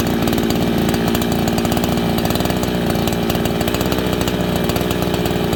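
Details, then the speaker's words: Farmertec 288 kitsaw, fresh unbroken-in build, end of first tank, cutting green ash without wedging; strong even two-stroke howl at steady rpm, clean firing, no misses or rattles; normal running. "Thing's pretty strong, friends. Remember, it's not broken in. We're at the end of the first tank, and I didn't even have to wedge this."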